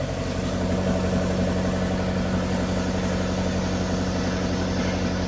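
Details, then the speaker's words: 2001 Maruti Suzuki Zen petrol, just started on first try after sitting 3 months, cold: steady even idle with a smooth low hum, no knocks or misses; normal cold idle. "మన పాత car start అయినాక sound ఎట్లా వస్తది exhaust mode ఇట్లా వస్తుంది అని కొంచెం అసలు అనుకోలేను ఒకటే సెల్ఫ్ కి స్టార్ట్ అయితది కార్ ఇట్స్ గ్రేట్"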